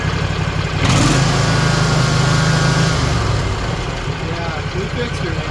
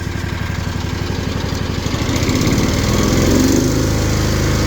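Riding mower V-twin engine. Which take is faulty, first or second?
second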